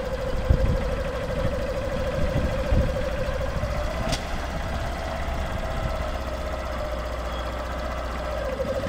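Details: Honda CBF 125 M-9 single-cylinder bike idling with an odd, steady mid-pitched hum over a low, uneven chug. The owner is seeking help to find the cause. Unidentified engine noise at idle.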